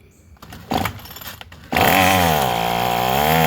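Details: Craftsman 27cc two-stroke string trimmer, made January 2013, restarted after it suddenly stopped: catches and settles into a steady buzzing idle, slight sag then recovery, no misfires; sounds pretty good.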